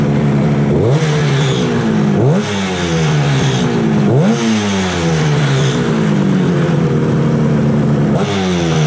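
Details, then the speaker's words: 1968 Yamaha YAS1C 125 two-stroke twin after carb sync, points and timing work, likely not fully warm: sharp revs rise quickly on each blip and fall cleanly to idle, slight rattle; response much better than before, normal throttle response. "I think this is sounding a lot better. The response is so much better."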